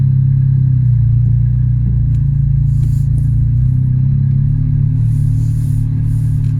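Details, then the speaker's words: Toyota Yaris at idle: loud, deep uneven chuffing rumble from underneath; exhaust blowing where the rusted centre pipe has come away from the centre box. "so now that we've got the car up in the air we can clearly see that the center pipe has come away from the center box of the exhaust this is a very common problem on old cars"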